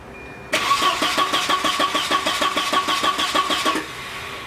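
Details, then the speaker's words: Volvo 940 turbo bought cheap, cranking with no start; steady starter cranking about three beats a second, never catching or spiking; suspected not getting enough fuel, later traced to a failed inline fuel pump. "coming out of here no nothing it's not even sounding like it's spiking so it still might not be getting enough fuel"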